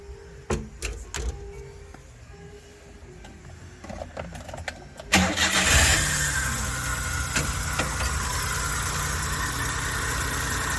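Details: Chevrolet Labo LPGi delivery vehicle, about 200,000 km, after repairing an idle air sensor wiring fault and an idle control valve with pins 1 and 3 lifted, which caused cold-start shaking: crank, quick catch, then steady even idle; normal.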